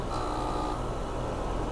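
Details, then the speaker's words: 2019 Lennox AC unit that tripped the breaker with a locked compressor, started via an added compressor saver kit: compressor hums steadily, faint high tone fading in the first second, drawing 11 amps; internal compressor fault still possible. "you can hear compressor starters pulling 11 amps so the only way I could get this unit back alive is to install this compressor server kit which gave gave it extra juice at the start again"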